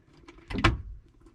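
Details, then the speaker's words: 1962 Hillman Minx abandoned 40 years, start attempt: a faint tick then one sharp metallic click with no cranking; the starter is stuck or bad and the engine is believed locked up. "let's see here i hear it clicking the motor may be locked up we might not just be getting enough juice"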